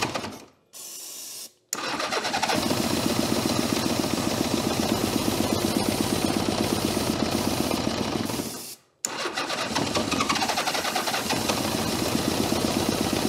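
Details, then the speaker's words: 1982 Honda GL1100 Goldwing sat 12+ years, first cranking after starter repair: catches and runs ragged on a couple of cylinders, cuts out and restarts rough; carburetors so gummed up the throttles cannot open. "She does make noise. Now the carburetors are so gummed up, we can't open the throttles."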